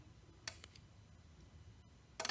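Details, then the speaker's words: Sommer Direct Drive garage door opener not opening: lights come on and it clicks when triggered by remote, but no motor hum; circuit board works, so the fault lies with the separately housed drive motor. "so the lights are lighting up it is clicking"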